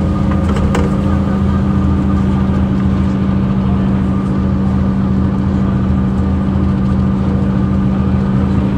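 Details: 2009 Mercedes-Benz CapaCity metrobus, OM 457 hLA Euro 5 diesel, 12-litre, with ZF Ecomat 6 HP 602 C six-speed automatic: steady drone with a persistent hum near 200 Hz over the engine, a rarely heard noisy automatic gearbox.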